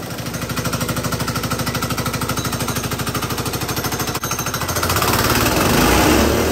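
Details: GX200 Honda-clone single-cylinder go-kart engine converted to hydrogen, running 100% hydrogen without water injection: hard choppy firing about three beats a second, then smearing and rising; rough combustion, owner says intake valve would eventually get very hot if run too long on pure hydrogen.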